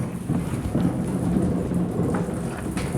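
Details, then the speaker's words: Historic grist mill being brought up to speed with grain dropping in, before the stone is lowered. Low, uneven rumbling, clanging and creaking with no sharp knocks or squeals, the normal sound of the millstones. Normal grinding. "So what I'm doing is I'm bringing up the speed. I'm hearing the normal clanging. And I can hear it dropping in."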